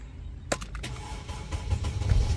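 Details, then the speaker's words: 2008 Mercedes R-Class, believed 320 CDI diesel, after no-start/no-OBD fault, on jump box with weak battery: sharp crank, catches and settles into steady low rumble; starts normally and goes into gear. "The car starts, and most importantly, I can actually get it in gear."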